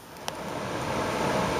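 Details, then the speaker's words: HVAC blower motor after a new 7.5 µF run capacitor was installed: smooth, even rush of air building as the wheel spins up quicker than before, no hum or rattle. It draws 0.9 A; normal operation. "could hear it now it sounds much quicker much better than before we have a new capacitor in 7.5 microfarad"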